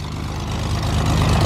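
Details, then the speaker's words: Six-cylinder engine in an experimental light-sport plane, idling just after start; deep, even idle with steady low firing pulses and a firm, smooth beat, sounding healthy. "that sounds meaty. That is so cool with it being a six cylinder. It really has a nice sound to it."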